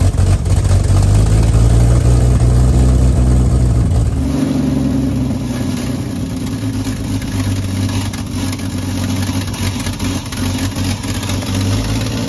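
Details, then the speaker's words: 1952 Ford F1, 215 OHV inline six, long-stored barn find, running on choke: rumbles unevenly a few seconds then drops away and dies, cranking slow; carburetor not feeding fuel suspected, unconfirmed. "it just died everything's cranking slow"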